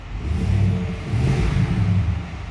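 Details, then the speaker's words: Chevy Suburban, freshly overhauled engine; misfire absent at idle, appears only on throttle; spark on cylinders 6 and 4 fine, fuel delivery ruled out: two quick blips with stumbling, uneven rev rise. Misfire traced to low compression on two cylinders. "Kasi kung may problema sa delivery ng fuel to, dapat yung miss pair niya consistent ano lagi-lagi. Kaso ito pag naka-idle siya wala. Pag inp mo lang siya nagkakameron ng mispfire."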